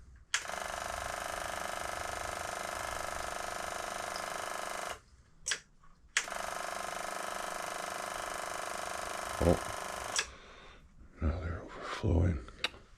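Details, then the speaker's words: 1984 Yamaha Virago 1000, carbs rebuilt with new fuel lines and filter: electric fuel pump buzzes for several seconds, pauses, then restarts and never shuts off because stuck float needles let fuel leak through the carbs. "now they're not stopping hold on now they're stuck little stuck fussy little things"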